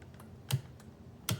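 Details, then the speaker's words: 1993 BMW K100 motorcycle, fuel pump removed and fed 12 V directly from battery after confirming fuse and wiring voltage: two sharp clicks and no pump hum, never primes; failed fuel pump, new one ordered. "same thing yeah you can just hear it clicking but it doesn't actually Prime so I'm going to order a new fuel pump and see how it goes"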